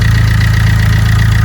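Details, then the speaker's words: Vauxhall Corsa D 1.3 diesel idling after number 2 injector replacement and coding (after ECU water damage and EEPROM swap): steady even low thrum with no skips, no misfire, no dashboard lights; normal idle. "lovely sounds good as well excellent norville misfiring excellent I don't have any lights on the dashboard brilliant"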